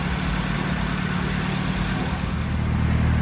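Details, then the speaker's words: Ford Escort RS Turbo CVH with Newman stage 4 solid-lifter camshaft and Cosworth EFI management, warm after misfire fix: deep, even idle rumble, steady beat, no skipped firing, usual rocker rattle; normal idle. "but hear how nice it sounds on idle. Hasn't missed a beat all night"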